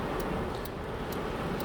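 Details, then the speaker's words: 4-pin relay wired to a 12 V light bulb through a switch, closing the circuit. Sharp, crisp ticks about half a second apart over a low rumble; the relay clicks normally. "You can hear the click."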